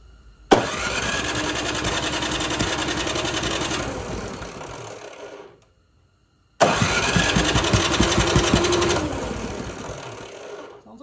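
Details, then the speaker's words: Toro 721E snowblower on the electric-start plug, primed a few times after carb work and reinstalling the drain plug: two long starter cranks of steady rapid chugging that never catch. It cranks but won't start; the fix failed, and the emulsion tube is next to check. "like it wants to go, but it just won't turn over."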